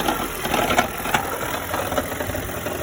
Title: toyota auris 1.8 hybrid strange noise